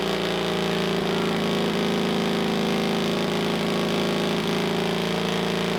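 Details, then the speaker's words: Pony starting motor of a rare 1954 Caterpillar No. 6 shovel, first run after sitting 15+ years, after cleaning the gummy carburetor float needle: loud, steady, even putter about four beats a second, no misses or knocks; running properly. "awesome yes that sounds good it's loud as heck it's already starting to burn off all kinds of wonderfulness on the top of the pony motor but whatever"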